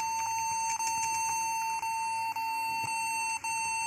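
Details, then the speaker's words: Acer laptop beeping continuously during boot into Windows: steady high beep without a break, faint key-press clicks behind it; pressing a key stops the beep and boot continues, suspected stuck keyboard key, possibly N. "Kalau pas dipencet eh tombol ini bip-nya berhenti dan dia jalan. Eh. Mungkin juga ya pengaruh dari keyboard ini ada yang mencet terus gitu kan, seolah-olah mencet terus."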